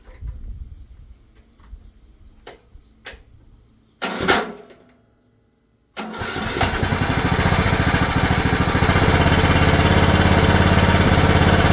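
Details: Craftsman riding mower after rebuild (new coil and/or rectifier, push-button start switch, fully rewired), hood off: handling and a few cranks, then the single fires and settles into a steady, even run with no obvious ticking.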